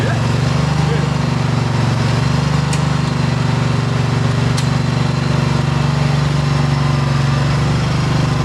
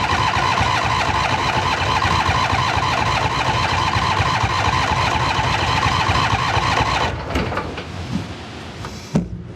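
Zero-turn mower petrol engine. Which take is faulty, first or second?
second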